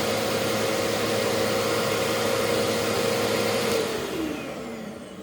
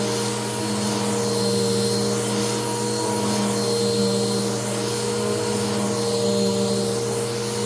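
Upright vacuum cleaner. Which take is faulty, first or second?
second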